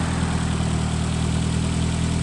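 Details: Steady, even petrol engine idle with low hum and no deep knock from the bottom end, after replacing the rod bearings for about $30 on a worn-out engine.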